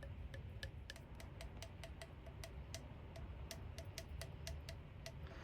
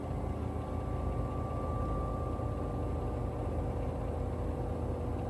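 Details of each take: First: LG 10.5 kg washing machine with knocking for about two years, shaken by hand with motor off: light sharp plastic clicks about three a second from a loose black part on a rusted shock absorber. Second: LG 10.5 kg washing machine on its test spin cycle after a glue repair of the shock absorbers that fixed about two years of knocking: a steady, even hum and mid-pitch whir with no knocking, much quieter; the unscrewed lid rattles slightly.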